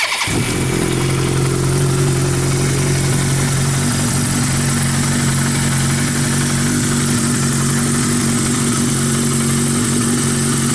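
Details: 1982 Suzuki GS 1100 on its first run after a rebuild: it catches quickly, then settles into a smooth, even four-cylinder burble with no knocks or ticks, so the engine runs healthy.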